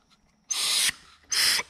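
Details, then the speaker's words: Refrigerant headmaster control valve, removed and tested by blowing through it: two short hissy bursts of air pass straight through with no seal because the diaphragm is busted (normally bypasses below about 180 psi). "can hear that it's coming right through, but that's with the diaphragm busted."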